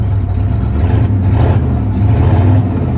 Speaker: I mean it revs up nicely but obviously somebody cut the converters off before they uh they got their stuff repossessed